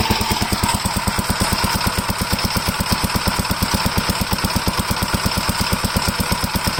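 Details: Gravely L8 single-cylinder engine, previously locked-up bottom end now repaired, started after tire tube installation: even, quick thump at steady speed, no knock or clatter; runs smooth and healthy.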